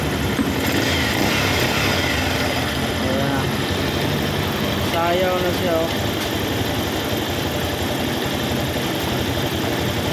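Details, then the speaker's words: Motorcycle that shook after a DIY clutch lining change, idling after repair: steady, quiet even putter with no shake or rattle; vibration gone, normal idle, though loose tensioner is advised replaced as it may get noisy later. "Wala na ang vibrate. Wala na yung vibrate."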